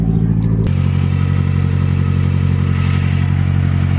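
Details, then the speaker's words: Mazdaspeed just after swapping from front mount back to a CorkSport top mount intercooler: brief crank catches cleanly and settles into a steady, even low idle with no knocks or misses; normal start and idle. "So anyway, start it up, find out how it is. Starts up perfect."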